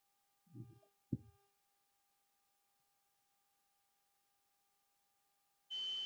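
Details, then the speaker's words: Multimeter continuity test on an emergency light rotary switch, leads across the switch: near silence, then a sharp steady high beep as the contacts conduct; the switch is good. "देखिए इसने लगाने पर आपकी beep की आवाज आ रही है यहां पर देखिए"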